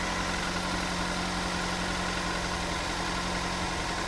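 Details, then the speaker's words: Toyota Avanza petrol engine, previously rebuilt: uneven idle with soft irregular puffing from a leaking exhaust. "brebet-brebetnya karena knalpotnya itu juga bocor jadi ada bluk bluk gitu"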